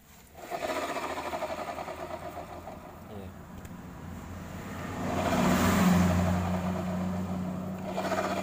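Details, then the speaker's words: Honda automatic scooter idling and revving with a coarse, rough churning from the left CVT side that follows speed; worn final drive bearing. "Ya seperti biasa matic Honda suaranya kasar di bagian CVT kiri"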